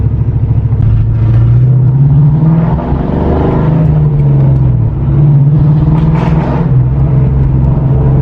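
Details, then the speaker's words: Ford Mustang after a spark plug blowout, on a road test after idling an hour on a treatment that cured its idle miss: a steady drone with slight unevenness under load. It still runs rough; the owner suspects a coil. "yeah it's still running rough that is weird it is kind of acts like a coil"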